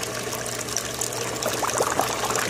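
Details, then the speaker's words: Aquaponics bell siphon on a grow bed at the end of discharge; water gurgling and pouring, then choppy sputtering bursts as air breaks the suction; siphon cuts off cleanly and perfectly. "o corte, ó. Escutaram o barulho do corte? Perfeito, né, rapaziada?"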